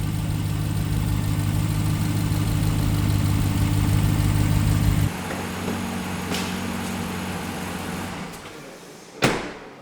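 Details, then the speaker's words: 2017 Ram 1500 Rebel V8 startup after replacing one exhaust manifold with BD Diesel unit; high idle settling lower with light tick, exhaust still leaking. "But, uh, that last startup in that last clip, it was the exhaust was leaking. It was ticking again."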